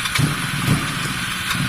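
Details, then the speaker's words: Honda CB250 Nighthawk bobber idling: idle stumbles with uneven, lumpy low thumps instead of a steady beat; runs rough, unhappy, from the faulty carburetor. "it's unhappy."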